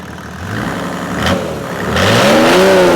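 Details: Mercedes OM606 diesel after injection pump calibration, warm at about 70°, revs rising cleanly with no stumble or miss after a stuck-injector misfire cleared, then back to idle without trouble; healthy response.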